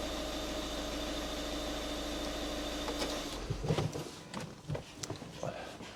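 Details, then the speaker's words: 2013 VW Caddy 1.6 diesel at tick-over just after start following an oil and filter change, not revved so the oil can circulate: steady even diesel clatter, no knocks or misses; normal cold idle. "Right, I'm just going to fire this up, let it tick over. You don't need to rev it up."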